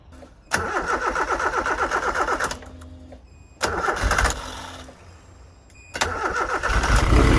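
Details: Nissan Silvia S13 CA18 on E85, first start after upgrading from Bosch 044 to Bosch 200 external fuel pump and replacing leaking lines: short even cranking, fires and settles into steady idle through restarts, no leaks; healthy.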